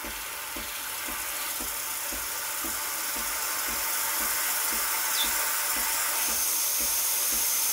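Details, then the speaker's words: Breville Barista Express BES860 steam wand, froth attachment removed, purging after about 15–20 s warm-up: loud steady high hiss with faint regular ticking about four per second; normal steam wand purge. "it takes about 15-20 seconds to warm up and start steaming"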